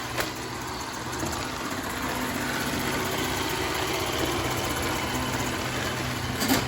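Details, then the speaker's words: iRobot Roomba s9+ robot vacuum on low power: loud steady rushing whirr with uneven low rumble, rollers sounding like they catch on something; rollers removed and inspected with nothing caught inside, cause unclear. "It seems pretty loud. Not so much the vacuum suction power, but the rollers. You hear it kind of like catching on something?"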